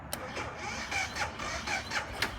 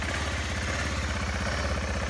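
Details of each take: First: BMW G650GS, 1.5 years old, failing to start even after more than two days on a trickle charger; rapid uneven clicking about four times a second with no engine turnover, owner suspects a dead or weak battery. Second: 1.5-year-old BMW G650GS single-cylinder that would not start, running on its battery after topping it up with water and no recharge; steady, even idle thump with no misses or knocks; runs normally.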